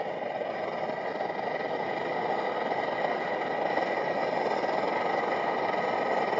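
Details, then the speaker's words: MSR XGK multi-fuel stove, over 20 years old, after basic service: steady loud roar with a ragged, fluttering edge; burner running too lean, fuel not vaporizing properly. "okay so that's not the sound you want if you have it running to lien what happens is you don't get it given enough chance to vaporize the fuel and that's no good"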